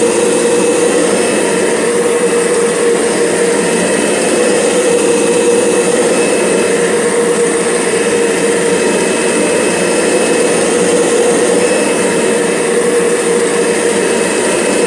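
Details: Kirby G6 upright vacuum with carpet fluffer head belt disengaged (neutral): steady, harsh whine and hollow airy roar, no rhythm or speed change; unusual running noise, cause not confirmed.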